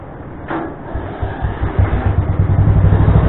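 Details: Craftsman tractor with adapted 42 or 48 inch snow blower, belt tensioned with a tensioner pulley taken from an old mower deck: low rumble building into a steady throbbing run, no belt slip squeal; blower driving normally.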